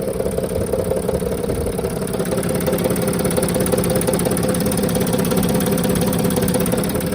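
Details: 2007 Mercedes Sprinter OM642 diesel, well-used poorly maintained replacement engine, idling with accessory belt removed; steady tapping knock about three per second, pronounced on van's left side, cylinders 4–5, source not pinned down.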